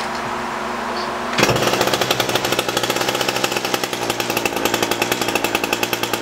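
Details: Echo SRM-225 straight-shaft trimmer, wouldn't run after storage; after diaphragm and air filter replacement, hidden jet adjustment, restrung: catches in about 1.5 seconds, holds high even buzz, no surging or dying; normal running.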